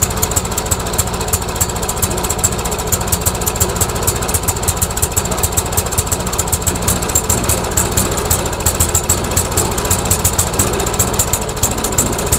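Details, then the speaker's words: Trash-found MTD Yard Machines mower on a test spark plug, with spark confirmed: the single-cylinder engine chugs unevenly with stumbling pulses, rough running; the owner suspects fuel starvation from a clogged carburetor main jet. "lovely it doesn't want to die it's ising at least it's ising I wonder if it's just not getting enough fuel I wonder if it's just simply not getting enough fuel maybe the main jet is clogged"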